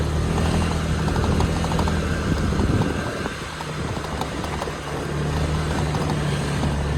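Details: 2021 Honda Forza 125 scooter at 3800 km: small engine drones steadily while light quick ticks about four a second rattle on top from the vibrating windscreen; windscreen rattle.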